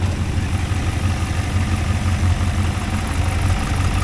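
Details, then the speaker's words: Freshly rebuilt and deleted GM 6.2 L86 V8, first start after install, oil pressure about 65 psi: deep, even burble with steady low throb, no knocks or ticks; smoke likely from oil spilt on manifolds, idle healthy. "Be a lot of smoke coming off this thing with all the stuff that's spilt on the manifold as I was working on it. It sounds good. It sounds really good."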